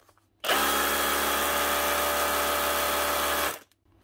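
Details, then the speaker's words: Bosch GBH 18V-26F 18 V SDS drill after its burnt connector was cleaned and crimped and it was reassembled: it spins up cleanly and holds a steady, even motor whine for about three seconds, running normally. "that's her one Bosch gbh 18 V stroke 26f with a burn connector just cleaned up and Crump back together again"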